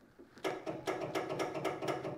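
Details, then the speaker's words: 1976 Cushman Truckster with a newly installed ignition switch, powered from a jump box without a battery: a quick run of crisp, even clicks at four to five per second. The starter solenoid is pulling in as it should. "solenoids working made a new one but we don't have a battery but that's awesome"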